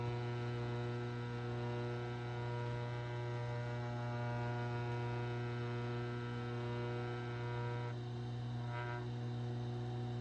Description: This is what bad motor bearing will sound like on a Crown transport.